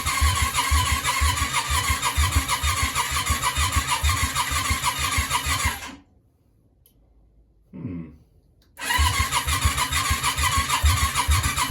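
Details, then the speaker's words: Yamaha Virago 535 V-twin after rewiring and mixture adjustment; starter spins at a steady chug about two beats a second, catches briefly but never runs; something not right, later a large fireball. "oh sounds like she wants to go something's not something's not quite right"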